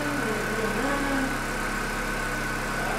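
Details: Corsa Classic 1.6 (8-valve) that arrived not starting, no fault codes: steady, even idle with a smooth low hum and no misses, knocks or hunting; engine now running healthy.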